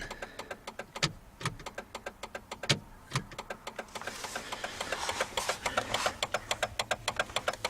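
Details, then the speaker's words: Jeep turn signal on the faulty side, neither light lighting up, four-ways not working: fast uneven clicking and buzzing under the dash, three or four a second, engine off; owner suspects a faulty flasher, unconfirmed. "Sounds like it's up in here. Yeah, I'll have to trace that down and see if it's a faulty flasher."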